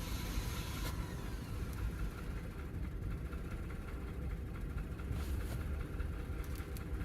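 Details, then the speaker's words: 2009 Lexus GS350 after battery installation barely runs and won't idle, stumbling and shaking as if about to stall; fuel pressure looks low, owner suspects timing, washed cylinders, fuel pump or fuel pressure sensor, unconfirmed. "engine does not sound good I'm thinking something's out of time maybe no idea but this will not idle"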